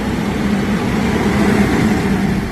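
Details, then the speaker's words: 1990 Volvo 240 wagon, manual, after replacing leaking fuel pressure regulator that caused misfire, poor idle and shaking, plus new spark plugs and air filter: steady even engine hum, running much smoother. "the fpr was leaking there and that's was causing the thing to shake and [ __ ] Dance all over the engine bay so now it's way smoother"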